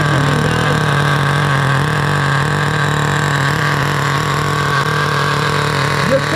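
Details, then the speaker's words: 2008 Duratrax RTX-27 1/8 scale nitro monster truck, first start after repair: steady buzzy nitro note with soft blubbery edge, no crisp bite; engine running far too rich, needle leaned another quarter turn, idle also slightly high. "the motor is still really rich i can tell i'm touching it right now it's just way too rich going to lead it out about another quarter of a turn"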